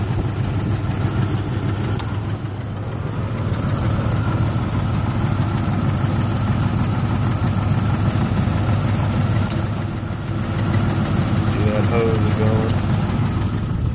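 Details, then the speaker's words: 1996 Jeep Grand Cherokee Laredo straight six 4WD at idle: deep, lumpy, stumbling idle with no steady rhythm, engine shaking, exhaust sounding rich; all cylinders misfiring. "okay this is a nineteen ninety six grand cherokee laredo straight six four wheel drive having some extremely rough idling issues and i will demonstrate that for you now"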